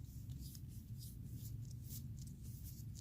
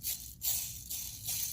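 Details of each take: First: New ACT clutch throwout bearing for a 2015+ WRX FA20DIT, spun by hand beside the noisy old one: only soft glove-rubbing swishes over room hum, no grinding or rumble. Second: 2015+ Subaru WRX FA20DIT, engine pulled for a clutch change: old clutch release (throwout) bearing spun by hand gives a dry, gritty rasping rattle from rough races; it is being replaced with a new ACT bearing, clutch and flywheel.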